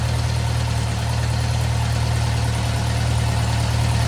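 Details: 1956 French-built Massey Harris Pony 812 tractor, Simca 9 gasoline engine, after fuel pump rebuild: steady, even low idle with smooth regular beat, no knocks or misses; good oil pressure, idling healthily.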